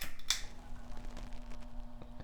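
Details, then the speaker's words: Hunter Echo Bluff 51089 ceiling fan, newly installed without the fan controller and remote: pull-chain click then a faint steady low motor hum on high; cause unknown. "yep there is some hum on high can you hear that it's a little bit less on medium there's still some noise on low again High see if I get the microphone closer it is a pretty noticeable hum"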